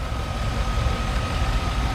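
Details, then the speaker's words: Chevy Silverado 1500 ex-fleet work truck after new alternator, belt, pulleys, tensioner and battery: starts right up, then steady smooth low idle with faint constant high tone; running fine. "You heard how this starts up. It starts right up. No problem."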